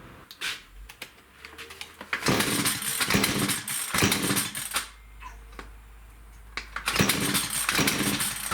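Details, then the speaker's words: STIHL FS56 two-stroke trimmer starting and idling with loud harsh screeching bursts that seem to come from the clutch; the trimmer head also tries to turn at idle when it should not. Clutch squeal suspected, not confirmed. "It's quite the annoying noise. It just kind of screeches and it sounds like it's coming from inside here where the clutch is."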